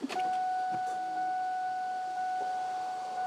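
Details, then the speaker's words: 1998 Ford Mustang Mach 1, first start attempt after engine install, battery very low: faint steady high hum for a few seconds at key-on, fuel pump priming normally. "I hear the fuel pump. Oh Lord. Yep."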